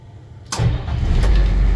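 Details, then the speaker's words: International 7.3 IDI diesel crew cab, cold weather, intermittent no-start needing starting fluid and a constantly clicking glow plug controller: after priming it cranks and fires into a steady low idle; owner suspects air intrusion losing fuel prime. "thing about uh air intrusion is typically once you get it running it's good for a while until that fuel can drain back wherever it's leaking"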